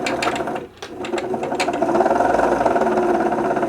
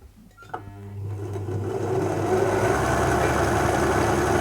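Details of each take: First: 1974 Singer Genie 354 / Starlet 353 sewing machine after service, winding a bobbin with a rough chattering whirr from the worn bobbin winder rubber tyre, which should be replaced. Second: 1974 Singer Genie 354 sewing machine after a full service, run cold in a frosty room before warming: the motor spins up to a steady, fast, even whir with regular needle clatter and no grinding; running smoothly.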